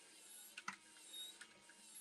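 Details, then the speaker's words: Titanic model kit (issue 36) small gear train: faint high whir broken by sharp uneven clicks as gears skip; flywheel appears to be dislodging and jumping, suspected cause. "now you can see there's a complication here it's skipping can you hear that clicking noise something's not right there it looks like the flywheel's dislodging is jumping"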